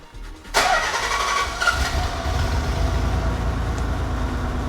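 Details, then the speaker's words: Nissan 300ZX at first start after fitting new dump pipes and front exhaust: the starter catches, then a loud, raw idle with a rough puffing rumble. An exhaust leak is suspected, location not yet found. "that sounds like an exhaust leak there's an exhaust like of the fog there's an exhaust okay"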